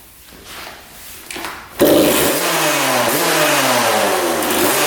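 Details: 1999 Suzuki RM80 two-stroke dirt bike that wouldn't restart: engine catches and revs with brief stumbles and pitch dips, then dies; spark plug boot repositioned, then plug changed and it runs much better; stalling possibly from a faulty spark plug.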